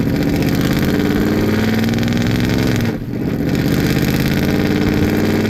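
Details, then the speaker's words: 800hp 1931 Ford race truck driving, engine timing in doubt: loud lumpy V8 pulls, then briefly dips and falters before recovering, stumbling under heavy throttle and needing too much fuel; cause undetermined. "You can hear it as the car stumbles when very much throttle is applied, and we have to throw way too much fuel at the car for it to run the way that it is."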